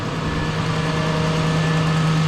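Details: Lexus LS400 idling after replacing the long-noisy drive belt, tensioner and idler pulley: steady, even idle with a smooth low hum and no squeal, chirp or rattle from the belt drive; normal idle.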